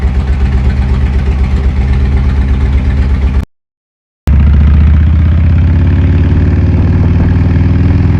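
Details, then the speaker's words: 2007 Harley-Davidson Ultra Classic original 96ci V-twin, over 100,000 miles: deep, lumpy twin-cylinder running pulsing about four times a second, louder after a short cut; owner believes crank runout, unconfirmed. "now crank run out happens you know the bearings start getting torn up and stuff like that because your cranks are uneven and they're they're spinning not completely true stuff like that so I believe that's the problem I'm having"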